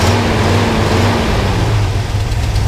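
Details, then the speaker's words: 1979 International Harvester Midas Super Scout II Baja 4x4 V8, already warmed up, idling: deep, even burble with smooth steady beat, no misses or knocks, exhaust sounds good; no smoke; healthy warm idle. "so let's go ahead and uh fire her up she's already warmed up sounds good exhaust sounds really good"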